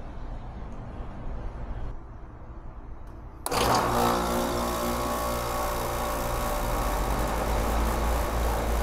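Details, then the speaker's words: Outdoor AC unit that would not turn off, after replacing a stuck-closed 2-pole 40 amp contactor, thermostat lowered to 76 to test: quiet hum, then a sharp click as the contactor pulls in and fan and compressor start; normal contactor engagement. "all right you hear that little click in there uh that turned it on and off so we are good"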